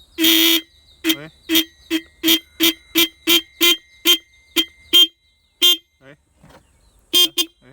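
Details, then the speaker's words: Motorcycle horn being adjusted by loosening its adjustment screw: short, sharp, buzzy honks of clean, steady pitch, strong and consistent; normal horn sound. "ඔයගොල්ලන්ට ඇහෙන හැටි සද්දේ ඔය. ඒ කියන්නේ අර දැන් මෙහෙම අල්ලගත්තාම ভাইබ්‍රේෂන් එකක් අපිට ඇහෙන්නේ."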